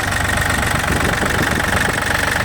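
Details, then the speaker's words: Yanmar F235 mini tractor, three-cylinder liquid-cooled diesel, heard with the hood open: even, steady idle chatter with no misses, knocks or hunting, and no leaks; running smoothly and healthy. "Работает ровно, как вы слышите. Все сухо, нигде ничего не течет и не бежит."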